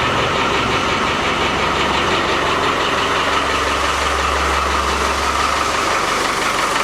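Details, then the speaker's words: Ex-RAF Land Rover Defender 110 diesel after front crankshaft oil seal repair, with a temporary pump fitted and ATF slightly short: steady, even idle with no whine or grinding from the front of the engine, quieter than before; strong ATF smell noted. "well it sounds quieter strong smell of ATF foreign spelled it let's find that"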